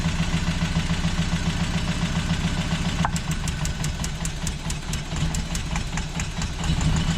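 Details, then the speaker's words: Toyota 22RE pickup after new motor mounts, oil, plugs, rotor, distributor cap and battery: uneven, lumpy idle with irregular ticks and stumbles, about three or four beats a second, still running rough as before; cylinder one suspected faulty. "Something's wrong with cylinder one."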